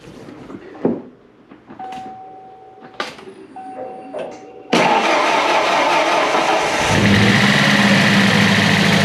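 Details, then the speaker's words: 1993 Ford Ranger, first run after fixing no-power wire at main harness, engine cold: some clatter, then catches and settles into a steady even run, running smoother; oil on exhaust, oil pressure and charging good. "happens that's nice little noisy um everything's dry and drain so should warm up a little [Music] bit sounds like it's running a lot [Music] smoother"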